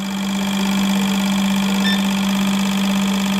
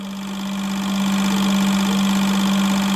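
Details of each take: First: Fuel injectors for an eBay turbo Civic in a bench test at low pulse width around 2.3 ms: a constant, even buzz with fast steady ticking. They operate normally, starting to shut off near 2.1 ms. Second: eBay turbo Honda Civic injectors tested at low pulse width: fast, steady injector buzz; around 2.1-2.3 ms pitch changes and one stops spraying, by 1.7 ms nearly all shut off; injectors dropping out at low pulse width.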